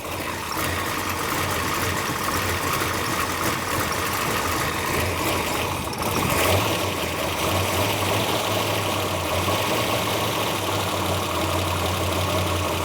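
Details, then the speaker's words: Plymouth Duster race car with a new big-block V8 and 6-pack setup, first start of the fresh build at about 60 psi oil pressure, timing not yet set: rough-ish idle with light, fast tapping from the top end; rockers are a little noisy. "Rockers are a little noisy."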